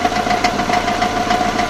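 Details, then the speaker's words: Subaru engine, gearbox replaced four months ago: sharp knocks about three per second over running engine with a steady whine; pressing the crankshaft changed the sound, owner suspects crankshaft play or clutch rubbing; unconfirmed knock. "Вот этот стук непонятный. Что это может быть?"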